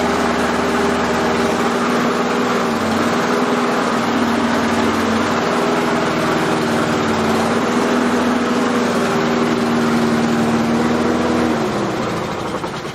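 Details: Self-propelled lawn mower test run after fitting a new blade; the old blade was worn and possibly of the wrong profile. Steady, even single-cylinder drone with a smooth hum and no knocks or rattles; runs healthy and settled.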